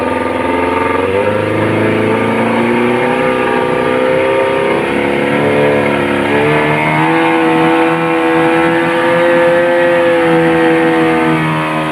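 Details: Yamaha 15 hp outboard after repair of weak ignition coil (down to 270 ohm) and flooded carburettor: on-water test run, steady even drone climbing smoothly in pitch without misses; power restored, running healthy.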